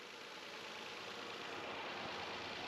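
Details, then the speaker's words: Nissan Murano at about 147,700 miles, oil change about 4,000 miles overdue, check engine light on: steady idle under an airy hiss that changes as the intake is handled; vacuum leak from a large rip in the intake boot. "But I guarantee you that he went somewhere and someone just left this tube loose. Because you can hear the idle change as I'm farting around with this back here. Oh, there's a hole in it."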